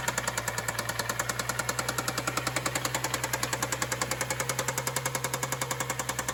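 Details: BMW 535xi with N55 engine, stalling in stop-and-go traffic: loud, sharp, evenly spaced knock about 3.5 per second over a rough idle. It restarts but keeps shutting off, and the knock grows louder; cause unconfirmed.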